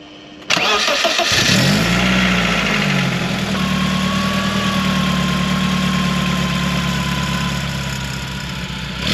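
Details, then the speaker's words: 1997 BMW Z3 1.9 litre after fitting a new exhaust with catalytic converter and rear silencer: engine fires up and idles smoothly and evenly, no puffing or ticking; exhaust leak apparently sorted, normal exhaust note. "That sounds pretty promising to me. We've got a good bit of pressure on the exhaust and it's not sounding too bad at all. So, I think we've got the leak sorted and that's the new exhaust on."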